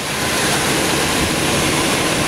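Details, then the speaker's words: 2000 Chevy dually pickup with 35,556 miles, idling: a steady, even roar with no knocks, ticks or misses, a tight, healthy-sounding engine. "I got it running right now. The motor is tight."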